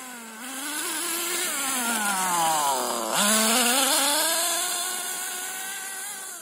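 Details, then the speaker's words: HPI Nitro MT with Nosram RS 18 Evo nitro engine during break-in and tuning after leaning the mixture; revs up and down with a burbly, uneven top-end note; still running rich at high rpm. "so you can see it's definitely starting to get to higher rpms now still quite rich though"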